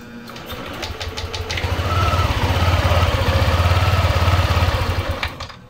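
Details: Yamaha NMAX version 2 scooter: engine starts with check engine light, chugs unevenly at idle, rising and dropping, then stalls; engine stall detected code; faulty ignition coil suspected, test with another coil.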